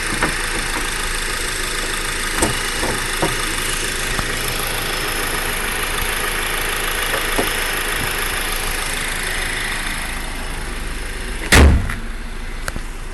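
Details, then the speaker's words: Honda Accord four-cylinder sedan idling, heard with the hood closed after a trip; muffled even low hum, no knocks or ticks; normal idle. "Sounds like a diesel engine almost. Alright, I'm gonna close the lid now, the hood."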